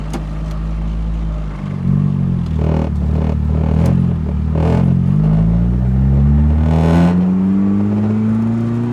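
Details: Turbo Mazda Miata revving up and down: light intermittent rattle over the rising note; owner wonders if low washer fluid is the cause, unconfirmed.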